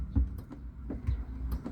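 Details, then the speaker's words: 2010 Kia Sorento 2.0 gas automatic with a no-crank, lost ECM/PCM communication fault: crisp light clicks as the brake is pressed. The shift lock solenoid is working, so the lever moves to reverse, neutral and drive; no click means no shift. "yan may lumalagutok tapos reverse neutral drive makikita mo eh meron yan oh pag meron yan nalilipat pero pag hindi lumagutok hindi yan malilipat"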